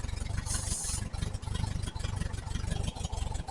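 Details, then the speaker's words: 1968 VW Type 3 Squareback flat-four with original Bosch fuel injection, after finding a massive intake manifold vacuum leak: even low chuffing idle with steady beat and light rattle, smoothing out, running normally. "Sounds good. Smooths out."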